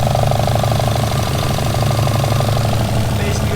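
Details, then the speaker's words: Nissan S14 240SX with 1JZ VVTi swap (BC 264 cams, Borg Warner turbo), first start, warm idle: steady idle with fast uneven scraping rub about three per second, first thought inside the head; harmonic balancer rubbing and digging into the front timing cover. "running this awful sound I thought was coming from inside the head but press on the front timing cover"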